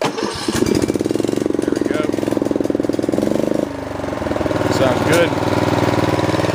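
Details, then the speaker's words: Older Snapper 28-inch high-back riding mower, customer complained of hard starting, after repair: key start, engine catches after a brief crank and settles into a steady even putter with no misses or hesitation; nice smooth idle, normal start and run. "and I'm going to show you engineer good got it up here and their clothes they got nice smooth idle good"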